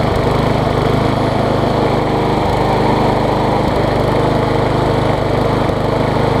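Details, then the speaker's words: MTD push mower engine swapped onto a Troy Bilt deck, after a bent blade, bent crankshaft and sheared flywheel key were found: flywheel key replaced, now at full throttle a loud, steady drone with even firing and no misses or surging. Runs smoothly. "Much the camera picks up, but that's a lot better, a lot better. I knew that a 1-inch difference in a blade size wouldn't make that much of a difference in running. I'm glad it was the flywheel key."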